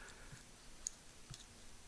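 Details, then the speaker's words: 2004 New Edge Mustang factory in-tank fuel pump powered straight from a battery to try emptying the tank: a few faint dry clicks about every half second with no motor whir; pump clicks but won't run, failed. "I can hear the pump clicking but it's not running so it's still it hasn't fixed itself basically"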